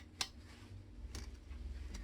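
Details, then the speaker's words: Bicycle saddle rail clamp, tightened long ago, bolt turned: sharp gritty crunching ticks from sand trapped inside the clamp, causing ticking when pedaling seated. "썩그럭 소리가 나요. 흙이 들어갔다는 얘기겠죠? 지금 서그럭 소리가 나죠?"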